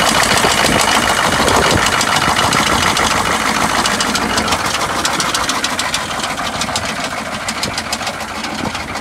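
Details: GMC Suburban 6.5 L diesel, bought unseen, seller said it runs rough and smokes, first start on trailer: sharp regular ticking about three per second over idle, louder on one side; tick or knock, cause unclear.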